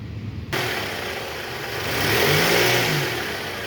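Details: Toyota Alphard ANH10, which growled from a weak belt tensioner whose bearing felt rough while the new part spun smooth: the engine revs up smoothly and settles back with no squeal, rattle or rumble from the belt side.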